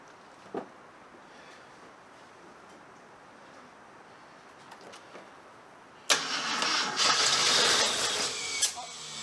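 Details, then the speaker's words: Barn-find 1975 AMC Matador Oleg Cassini that has not run in over 30 years. Slow, labored cranking with all plugs in suggests plenty of compression, then the engine catches and fires briefly with a roar. "it's uh got plenty of compression from what i can tell because it's having a hard time cranking over with uh all the plugs in so who knows let's see what we get"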